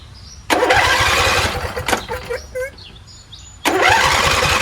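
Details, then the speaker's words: Husqvarna YTH20F42T lawn tractor repowered with a Briggs 21HP V-twin, not started for an unknown time, on choke. Long cranking bursts with no firing. Fuel reaches the carburetor, so it is starved by a stuck fuel solenoid (dirty carb also suspected). "Fuel is going to the carburetor, which means the carburetor is probably trashed. Carburetor's probably dirty. Or maybe this fuel solenoid is not working. That's possible too."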